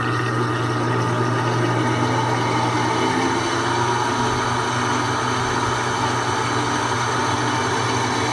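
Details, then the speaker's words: Electrolux 10 kg washing machine during spin, with the lid switch bypassed: a loud, steady droning hum with a rough whir on top. The mechanism was already replaced and is fine; the problem is the worn motor bearing. "sempre se atente é um motor antes de trocar rolamento do mecanismo que é mais simples de rolamento do motor tá aqui o problema é o rolamento do motor"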